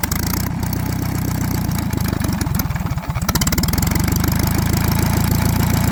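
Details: Antique Saxon motor car engine after about 30 minutes' running: uneven idle dipping and recovering, with busy mechanical clatter up front; owner hears noise behind the timing cover, sounds like gears, plans to dismantle and check.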